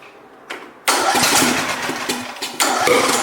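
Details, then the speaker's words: Free John Deere LA115 lawn tractor, first start attempt: a few hard cranking bursts, then sharp pops as it catches and runs unevenly; backfiring through the carburetor on start-up, shooting flames out. "Woo! And you guys saw that? Shot flames out at my hands."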